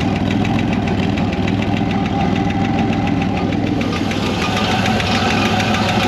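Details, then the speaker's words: Chevrolet 1960 Corvair air-cooled engine, revived after sitting since 1991: a steady, quick, light ticking in time with an even idle, one noisy hydraulic lifter where there were several before. "so you can tell this engine actually does not run bad at all sounds like just one lifter now there was several before"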